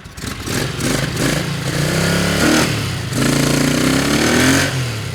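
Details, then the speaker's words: 1981 Honda CX500 V-twin revved after first start in years; some oil coming past the rings, may smoke, owner expects it to clear up. Clean response to each throttle blip, even beat, no knocks or rattles; normal revving. "Might need a little bit of a tune-up, but Yeah. I think it's running pretty good. And it might smoke a little bit."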